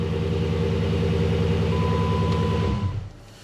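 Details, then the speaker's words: 2006 Dodge Magnum AWD, 5.7 L Hemi, after replacing starter motor. Starts then smooth, even idle with steady low rumble, no knocks or grinding, barely audible: normal idle. "Oh, yeah. Barely even hear it. So much better."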